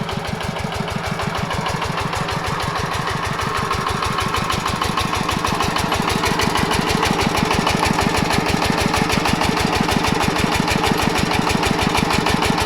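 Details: Yanmar 105 diesel walk-behind tractor engine driving a water pump for sugarcane planting under load: hard, even knocks about three per second over the working diesel beat. Engine knock under load, cause unknown.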